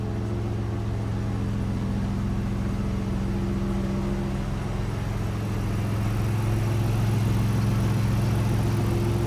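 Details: 2010 MKX AWD, engine running with a constant low hum and a faint whirring tone riding over it, from a bad water pump.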